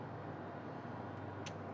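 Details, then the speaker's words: New Maxshine induction-motor triplex-pump electric pressure washer switched on with pressure trapped in the line: steady low hum with no run-up as the motor stalls, then it trips; pulling the trigger before starting avoids it. "Turn it on. It's humming right now. I want to see if it trips it."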